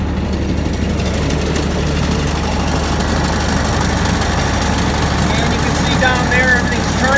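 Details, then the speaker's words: 2006 Kubota ZD326 zero-turn mower, about 230 hours, after new deck belt and centre pulley wobble repair, deck engaged at low throttle: low steady idle, deck spinning evenly, no slap, squeal or rumble; left and right pulleys fine. "the hole is turning nice and through following like it was i can look at my left side pulley i don't see any issues there and you can see the right side pulley"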